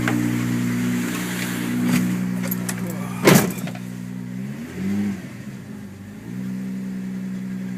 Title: rattling noise